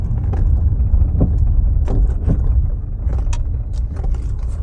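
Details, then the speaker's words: MG ZT 120 (1.8L naturally aspirated K-series, 1400kg) driven over a speed bump: sharp, irregular heavy knocks through road rumble; front suspension clunk judged near-side front, possibly anti-roll-bar related as it occurred when the offside hit the bump. "right so that sounds so that's that's near side front I would say could be anti-roll bar related cuz it did it when the offside went over it"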